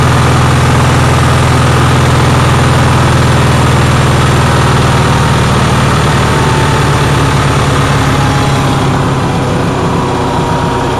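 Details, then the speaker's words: Onan generator, cold day, after a fuel pump voltage fix: fast, busy idle with a steady drone and rapid even beat. The owner says it idles too high; cause unconfirmed. "but anyways you you could hear how high it was idling so if anyone has any suggestions i am willing to hear any suggestions"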